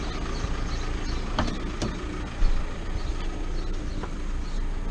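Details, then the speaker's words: Dodge Caliber SRD 2.0 turbo diesel (Audi engine) after a turbo fault repair with a defective hose replaced; starts slightly hard, pollution light still on; steady idle with a faint, even turbo whistle and no leak hiss; normal. "On entend bien siffler le turbo."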